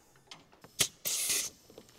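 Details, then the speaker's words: 1977 Cadillac Eldorado engine that clatters, especially on start, with metal shavings in the oil and heavy coolant loss: a sharp burst of hissing air in a leak-down test at TDC shows almost 100% leakage into the crankcase, suspected worn piston rings. "jetzt haben wir hier fast 100% Druckverlust der Motor steht auf OT und was kann jetzt passiert sein da ist da sind die Kolbenringe hinüber"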